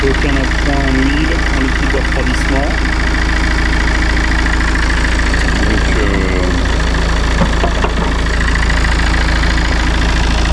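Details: Citroën C4 Grand Picasso 2.0 BlueHDi 150 diesel after head gasket repair and engine refit, later with no overheating or overpressure: steady, even idle clatter with a smooth low rumble and no misfire, knock or hunting.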